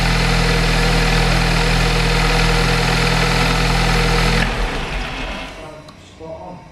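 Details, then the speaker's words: Audi S3 with a swapped-in VW Golf R engine, brief run before the coolant parts are refitted: smooth, even idle with no knocks or misses, then shut off. The engine runs well. "well the engine ran really nice and smooth then um so gamble has possibly paid off"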